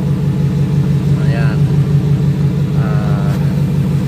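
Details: Ford Raptor previously cranking without starting, running with no check engine light: steady even idle with a smooth low pulse and no misses, knocks or ticks; runs fine.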